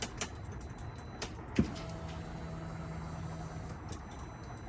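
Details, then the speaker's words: Turbo S buggy with big turbo, new injectors and head studs, after fixing no-start issue: click then quiet steady hum for about two seconds; fuel pump now priming normally. "let's see if we got it see if this sounds any different oh that's pumping fuel now"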